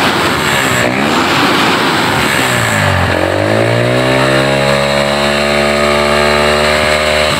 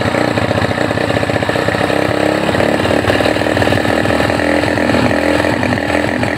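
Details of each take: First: Honda GL Neotech after repair of its stumbling on throttle, heavy fuel use and black plugs: engine blips up cleanly, holds a steady high rev, then drops back to idle without stumbling; smooth revving. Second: Honda GL Neotech that runs but falters when throttle is raised, uses a lot of fuel and has black spark plugs; a new plug didn't help and the coil is suspected: ragged, stumbling revving; misfire under throttle.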